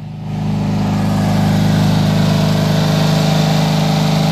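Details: Simplicity garden tractor (owner guesses Magnum 18) at full throttle in cold, snowy weather, just started after a heater on the engine, long cranking, a jumper pack and ether. Steady, even high-speed drone, firm hum with no misses or knocks; runs cleanly.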